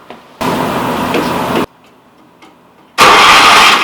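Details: Old Commuter Industries TE390 three-wheeler with the air filter and airbox removed and good spark: two cranking bursts of about a second each, and it never catches; no fuel because of a bad carburetor.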